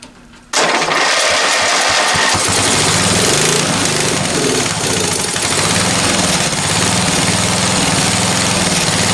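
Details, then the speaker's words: Free roadside-find ride-on lawn tractor, sat unused a few months: engine catches after a short crank, loud slightly uneven beat about four per second, keeps running only on choke; owner thinks it's lean and plans to adjust idle/air-fuel mixture. "and then it's not running without choke so if it's not running without choke if it needs to be choked it means that i need to reduce the amount of air because it's not getting enough fuel"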